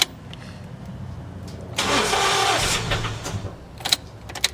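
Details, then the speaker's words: Car that sat for over a year, after a new battery was fitted: quiet, then a brief crank that catches and settles into an even idle, a healthy start with good cranking. "it'll go. Sweet. Yay! All it took was a battery, Sneasel."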